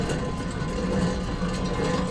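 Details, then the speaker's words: Acura TSX, passenger-side front wheel spun by hand after front suspension work: gritty, throbbing rumble swelling and fading each turn, very loud when driving; worn wheel bearing. "so that sounds horrible with me just spinning it imagine driving the car bro it sounded so loud"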